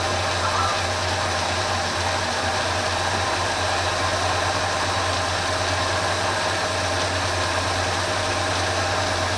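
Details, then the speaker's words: 1980 Ford F350 carbureted engine idling fairly smooth after carb rebuild with new choke pull-off and rerouted choke-heat coolant hose, idle mixture screws adjusted; steady, even hum with no misses or hunting: normal idle. "got the idle fairly smooth right there the rpm sounds"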